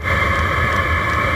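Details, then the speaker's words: Self-contained Chinese diesel air heater warming up: steady fan whoosh over low combustion rumble, fuel pump ticking faster and faster, a little smoke normal; normal warm-up. "so as it starts to get warmed up you can see you're gonna get a little smoke out of here that's completely normal and you can hear this fuel pump starting to get faster and faster"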